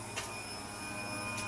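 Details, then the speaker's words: Scion FR-S with a 1JZ-GTE VVTi swap, before first start: the fuel pump and surge tank are switched on from the ECU Master software and prime the system. A steady, even high whine with no stutter or grinding; the pumps are running normally. "And then you click invert output and you can actually hear the pump priming and running. And filling up the whole system."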